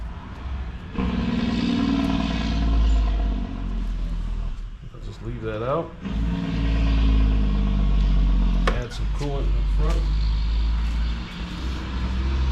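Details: 2019 John Deere Gator XUV835R with replacement Chery SQR372 engine, running during coolant bleeding after swap: steady even idle with quick revs that climb and settle cleanly; normal healthy running.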